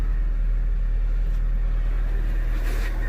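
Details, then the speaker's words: 2004 Honda Civic idling smoothly right after spark plug replacement and ignition coil reinstall to fix a multiple-cylinder misfire; steady, even low rumble with no stumbles, starts smooth. "we're gonna get this thing started moment of truth I'll bet started that real smooth no problem there we go"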